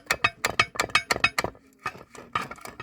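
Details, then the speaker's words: Opel Astra H 1.7 CDTI diesel dual-mass flywheel (damper) with play and worn bolts: sharp metallic clinks about three a second as the flywheel is shaken, loose washers inside rattling; internals have collapsed and worn through. "провалился уже там шайбы внутри уже там размолотом какие-то телепается дизель шайбы там все ну там ночь вот это вот когда живот Это должно почти вровень быть она туда все провалилась тарабанит этот демпфер не покупайте бэушные"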